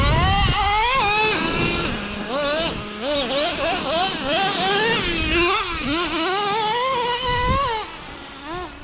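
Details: New Traxxas Revo 3.3 nitro engine after break-in, high-speed needle set slightly leaner: sharp high whine rising and falling cleanly with throttle blips, crisp pickup, no bogging; temps good, running normally.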